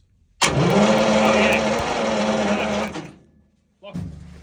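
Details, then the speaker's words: Centurion ARV winch engine on older replacement batteries, ignition being checked: starter churns steadily about two and a half seconds without firing; crank no start, one set of points sparks well but the second set sparks weakly, points suspected dirty. "so when you're ready just crank onset sparking nicely the other set it's not doing a lot so we'll just work on that second set"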